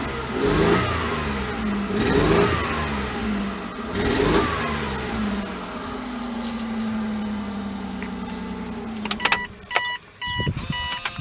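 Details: 2000 Mazda MPV 2.5 litre V6 revved: raspy puffing edge with uneven pulses from an exhaust manifold leak plus engine misfire.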